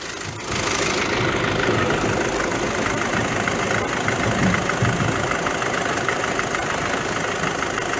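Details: Car with 7-speed DSG gearbox, cold idle with hood open: loose uneven rattle and vibration from worn dual-mass flywheel with play, worse on cold mornings; flywheel to be replaced, play checked after gearbox removal.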